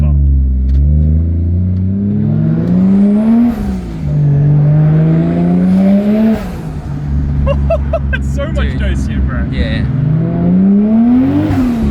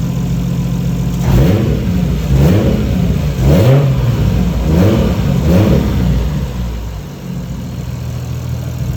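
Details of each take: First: Boosted 1JZ Toyota Chaser pulling hard through three gears, deep smooth climb with quick drops at shifts, much quicker than before; healthy boosted acceleration. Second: 1JZ Toyota Chaser after losing all boost pressure: loud raw exhaust with four throttle blips over low rumble; turbo wastegate actuator arm disconnected from the flap, likely accidentally knocked.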